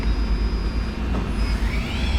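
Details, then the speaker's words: 1998 Okuma MX-45VA vertical machining center spindle stepped from 1000 rpm into high gear (max 7,000), not warmed up so not run hard; faint steady high whine, so smooth it's barely audible; healthy. "into high gear. That is so smooth that you can barely hear it. So it goes all the way up to 7,000."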